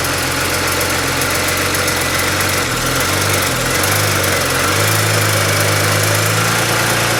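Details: BMW E90 335xi after cylinder 1 misfire (P0301), spark plug change and swapping coils 1 and 2: steady, even idle with smooth low rumble, no stumble or skipped beats; no fault codes now; normal idle.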